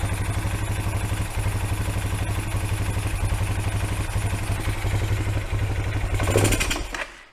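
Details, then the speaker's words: Kawasaki Bayou 220 four-wheeler, carburettor fed through a temporary fuel line with choke on: single-cylinder thumps sag, surge briefly and die away; apparently running out of fuel. "i think we're just about out of gas"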